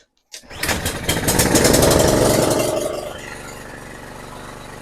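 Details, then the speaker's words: Toro Super Recycler SR4 mower after blade clutch repair: pull start catches cleanly, engine spins up quickly and settles to a steady, even idle with no bogging; sounds much better. "All right, sounds a lot better."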